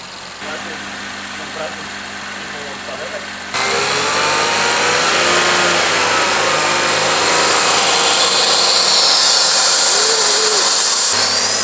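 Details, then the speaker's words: Fully stock engine with stock turbo, mounted on a test stand for an RX-7 FD swap, running through a very long exhaust: smooth, even idle behind a hollow, Hoover-like hiss caused by the long exhaust, no knocks or misses; normal idle. "It does sounds like a Hoover, but it's because of the longest exhaust."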